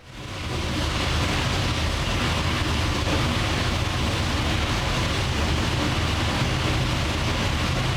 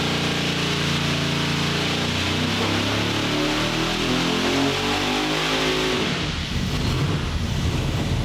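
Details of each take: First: 903 cu in pro-charged Hemi on the dyno after a camshaft change, run naturally aspirated with no boost yet. Loud, lumpy rumble with a choppy cam beat, firing crisp and even, no knocks or clatter. Sounds meaner and crisper, normal running. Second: 903 cu in Hemi on the dyno, naturally aspirated before a 140 mm ProCharger is fitted: wide-open pull that breaks up and drops off near the top; power is broad and flat but falls off high because it lacks the right camshaft.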